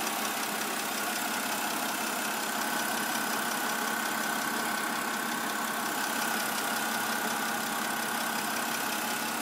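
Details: 2008 BMW 328i coupe idle: light fast clicking about three a second over steady idle; lifters replaced under service bulletin but noise returned, dealer now suspects cylinder head, unconfirmed.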